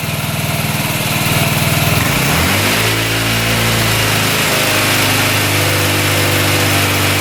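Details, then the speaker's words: 2006 Honda Metropolitan scooter, just revived: engine buzzes at low speed, sags and won't rev out, carb wet and spitting fuel; rich, flooding carburetor bogging, owner suspects automatic choke not getting power. "Seems a little boggy to me. really boggy. I took the boot off the carb and it's like spitting gas all over the place."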